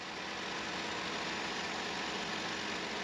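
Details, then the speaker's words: 2009 Chevy Malibu after serpentine belt tensioner replacement and new ACDelco belt, first start: steady even idle with light hiss, no squeal, chirp or rattle; belt squeak fixed. "Alright, no squeaking. Dang, that sounds good too."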